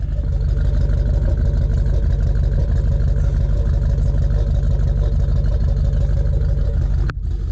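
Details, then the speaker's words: 454 big-block 1991 Chevy crew cab dually with 4L80E, first start in a while: deep even idle with a steady lope about two beats a second, no knocks or misses; engine healthy, transmission won't take reverse. "but there you go guys we got the truck at least running"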